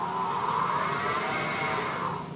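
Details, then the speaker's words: New Tormach 1100 CNC mill spindle started in manual mode: smooth, steady whine with an even high hiss as it spins up and runs cleanly, no knocks or grinding; normal spindle start-up. "so right now I've got my spindle set in manual there we got manual so we'll hit start you can hear it start going"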